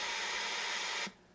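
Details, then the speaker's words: Knight (Allied Radio) solid-state dual-band FM commercial monitor receiver, circa 1960s, no antenna connected: steady even hiss that cuts off cleanly when the squelch closes, normal receiver static, receiver working as it should. "Now this radio does work. Let me turn it on. You can hear we've got static."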